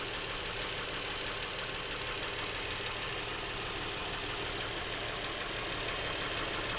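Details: Brand-new Lincoln MKX with 7,000 miles idling with a steady, even knock about three beats a second beneath a bright hiss, present since new and worsening, seemingly from the back of the engine; dealership could not hear it.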